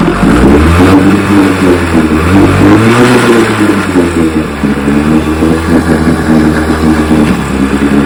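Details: 1960 Johnson 10 hp outboard after gearcase rebuild, carburetor high and low speed needles just turned in: buzzy two-stroke with revs rising and falling unevenly, pickup wavering, lean sneeze at low idle; backing out a quarter turn improved it. Hesitation on acceleration.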